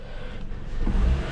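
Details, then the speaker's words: 2017 Toyota Camry engine running with key off and out, no power steering or electrics; low even hum swelling when revved; back-feed to ignition circuit suspected; engine runs with key off, cause unknown. "There's no like electric is really off, but the actual engine's still running. I can rev it and it's on."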